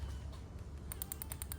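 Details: Drag car engine, spark shown from the open plug lead on cylinder number three: sharp, crisp snaps about ten a second, a strong, healthy ignition spark.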